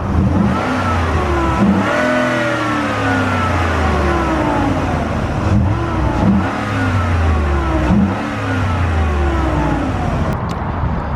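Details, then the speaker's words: 2014 Ford SVT Raptor, about 159,000 miles, revving under hood after replacing idler pulleys and power steering pump: thin whine rising and falling with revs over exhaust; owner suspects the airbox, unconfirmed. "now for the most part i'm pretty sure that's coming from the air box because i replaced power steering pump already"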